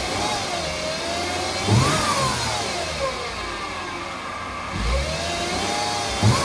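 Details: 2008 Mercedes-Benz C300 V6, stock exhaust, cold start and revving: a clear high whine rises and falls in pitch with each throttle blip; a failing alternator, and replacing the alternator cured the noise.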